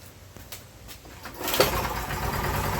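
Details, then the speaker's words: Briggs test engine with heavy cylinder damage, burning oil badly, run to see if it clears: catches after a second and a half, then runs ragged and weak; virtually no compression, too much oil passing the worn rings. "there's far too much cylinder damage in it there's virtually no compression left in this thing at all it's just there's like nothing so we're getting way too much oil pass the Rings"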